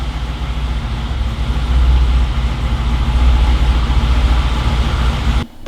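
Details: Corvette C7 V8 on its first start after a twin-turbo install, showing no check engine light and with residue still burning off. A deep, steady, even low rumble with no knocks or misses, then the engine cuts off; a healthy idle.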